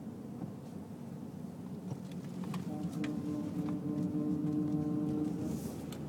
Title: Noise when turning right